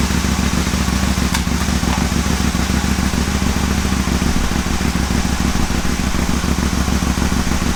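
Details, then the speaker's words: Aprilia Caponord V-twin, cold start with ECU connected via app, after idle problems: steady, even idle with constant loping beat, no hunting or misfire; normal cold idle. "Right, sounds good."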